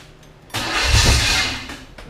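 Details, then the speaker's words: Chevy 5.7 SBC in a 1980 Camaro, first start. The owner can't advance the distributor enough. It fires and catches about a second, flares, then fades; the timing or plug wire order is wrong. "try again starting to try but I can't Advance it enough"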